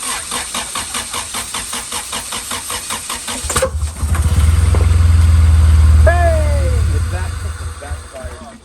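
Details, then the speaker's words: Car being rebuilt, cranking with starter fluid sprayed into intake and throttle body held open: steady crank about 3.5 turns per second, then a sharp pop and whoosh as it backfires out the intake; fuel problem suspected, timing questioned. ">> It backfired out the intake. Scared me."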